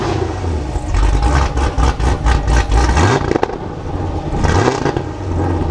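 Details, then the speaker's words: Modified 2019 Camaro SS V8 (tuned, Stage 3 cam, headers, catless X-pipe, E85, nitrous) on two-step at 2500 rpm: sharp, rapid exhaust pops and crackles rising and falling with each launch. Normal two-step limiter pops. "Wow now I was inside the car with the windows up and I could hear that those pups are insane out"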